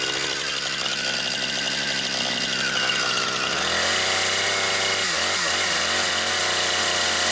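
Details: Brand-new Husqvarna 460 Rancher chainsaw on its first run, cutting pine firewood: a strong, steady high-pitched two-stroke snarl that bogs slightly into the cut and recovers cleanly. It is healthy and cuts right through with big-motor power.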